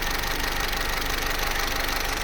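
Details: Vauxhall Corsa C Z14XEP, 86,000 miles, at full operating temperature; steady idle with a fast, light metallic chatter, quiet when cold and after about 6 minutes idle; timing chain rattle.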